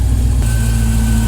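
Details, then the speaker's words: 1968 Dodge Charger with Hellcat V8 swap finally starting after wiring harness and module fixes; catches and settles into a smooth, deep, even idle, clearing unburnt fuel, no misses or knocks: normal idle. "Okay, you guys ready? Let's start her up. Oh, heck yeah! It actually starts and starts smooth."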